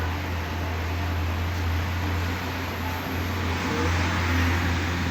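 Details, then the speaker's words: Luminous Hercules 1600 12V inverter on battery after removing a connector to cure a continuous beep on battery, mains and charging: steady low hum with faint fan hiss, no beeping. Finding: normal running, no warning beep. "देखिए जो हमारा problem solve हो चुका है देखिए आप अभी कोई भी आवाज नहीं है बैटरी पर भी चालू है"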